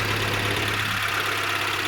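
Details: 2008 Renault Clio after repairing a corroded wiring harness causing a no start, short crank with immobiliser fault: immobiliser light goes off and the engine runs a steady, even idle with no misses, knocks or hunting; normal idle.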